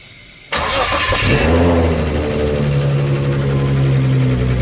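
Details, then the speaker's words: Nissan RB25 with small camshafts, Plazmaman throttle body, aftermarket ECU and no idle control valve, first cold start of the day at about 15°C: quick crank, then a steady, even idle with no hunting. Healthy. "That is literally first start, first crank for the day. We haven't started it."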